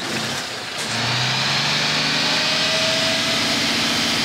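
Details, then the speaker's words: Restored 1983 ERF diesel truck, already warmed up, revved to purge the exhaust before an HGV emissions smoke test. It spins up smoothly from idle to high revs and holds steady with no knocks or misses; normal. "now first of all what I'd like you to do now that we've got it already warmed up I'd like you to purge the exhaust system for me"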